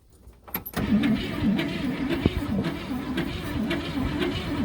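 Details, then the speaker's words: 1964 Buick Skylark, Buick 350ci V8, parked 30-40 years in a junkyard: the starter grinds the engine over at a steady rhythm but it never fires, and cranking is slowing (starter or battery). Spark confirmed, so fuel or compression suspected. "now I think the starter and the battery's getting you know it sounds like it's the starter or the battery one are slowing down"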